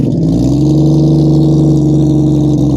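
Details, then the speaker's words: 1972 Plymouth Valiant six just after a cold start, once oil pressure comes up, recorded down by the exhaust: revs climb cleanly and hold smoothly, with no misses, rattles or knocks. Normal revving. "She's a loyal old Dodge. Plymouth. There you go, people. That's how she's supposed to sound."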